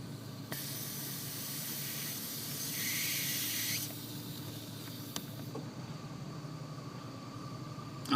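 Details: Volvo V70 idling, under the driver's side dash near the firewall: a sharp airy hiss for about three seconds, with the engine tone changing, as vacuum leaks where the gray booster gasket meets the black; the leak can cause stalling after braking.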